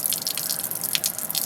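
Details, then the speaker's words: 1965 Chrysler Imperial LeBaron, engine off: fast splattering drips and trickling water as the bone-dry radiator is filled; radiator leaking from a huge hole, possibly from a tow chain hook, needs replacing. "turn it on doesn't work it's leaking oh yeah we got a leak oh man right here's a huge leak"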